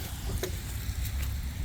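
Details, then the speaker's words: 2008 Chevy Silverado LT 5.3 L Vortec V8 after replacing a water pump with worn bearings/pulley play that caused knocking and rattling: steady, even low idle with no tapping or knocking; fixed. "No leaks, we got heat. We got all the air out of the system. That's it cranked up. No more knocking. Everything's good to go."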